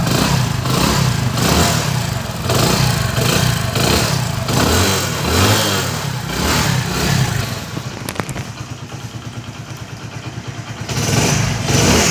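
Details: Splendor single-cylinder after carburetor cleaning and tank cleaning, reinstalled and started: steady putter with a few throttle blips, picking up cleanly and settling back; runs normally.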